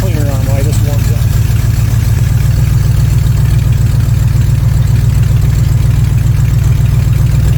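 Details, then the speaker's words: 1979 Corvette C3 V8 with newly installed Holley Street Demon 625 CFM carburetor, idle needing no adjustment: deep even burble at steady speed with no misses, knocks or hunting; normal idle. "Holly doesn't have some fittings that fit, but it did start right up quickly and ran smoothly. And guess what? I didn't have to adjust the idle. It was dead on."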